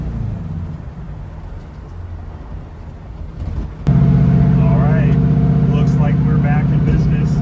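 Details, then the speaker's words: 300hp WRX-swapped Beetle (turbo, ~12-17 psi boost) on a test drive after fuel filter replacement; strong, even low drone under load with no stumble or cutting out; fuel pressure reaching 60 psi under boost; problem fixed, normal running. "It's fixed. We just got back. We drove, I don't know, probably a good 20 minutes or so. Made sure it got hot."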